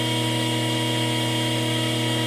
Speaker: i'm going to slowly close this wrap and you hear the wrapping sound in the pump it's going metal to metal which could cause a serious damage to the pump